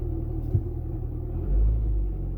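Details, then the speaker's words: Car just started: low steady rumble under idle with a droning bearing-like note; owner remarks it sounds "a bit bearingy", source not identified. "Start the engine. Ooh, that sounds a bit bearingy."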